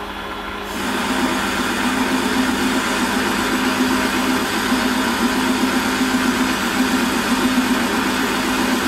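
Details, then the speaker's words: Holzmann ED400FD lathe, automatic feed, 1 mm infeed, workpiece supported by a live center. Even spindle hum under a light cutting hiss with no chatter; noise is clearly lower and vibration almost zero. Smooth cut. "und da ist jetzt auch mit verführung ist jetzt das geräusch deutlich geringer und die vibrationen fast fast gleich null"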